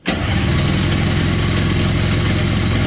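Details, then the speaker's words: Honda FL250, ice cold, not previously started, fresh fuel and battery hooked up: steady starter churning for three seconds without firing because the ignition was left switched off. "Oh, I forgot to turn it on. What an idiot."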